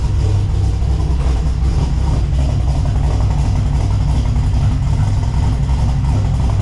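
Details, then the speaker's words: LS1-swapped Subaru BRZ with Michigan Motorsports stage 3 drift cam and new crank pulley, warmed up and not yet tuned: deep, choppy, uneven lope at idle; the normal sound of an aggressive cam. "After it warms up a little bit, it starts to really chop and you can hear it. Here's what it sounds like."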